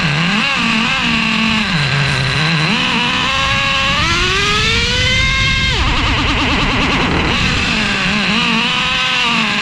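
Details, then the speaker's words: Traxxas Revo 3.3 nitro engine on first start after fitting a new THS Racing tuned pipe (stock header had cracked): pitch climbs then breaks into a ragged stutter at top revs. No exhaust leaks seen; it sounded fairly bad, owner plans to richen. "The engine fires up. There do not appear to be any exhaust leaks. I'm looking around the pipe right now, but of course, it sounded fairly bad."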